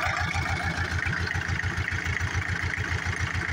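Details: John Deere 304H loader with 12V electric fuel pump, after clearing debris that stalled it and caused a no-start: fires up to an even steady diesel idle, firm regular thump, no misses; fuel filter to be changed.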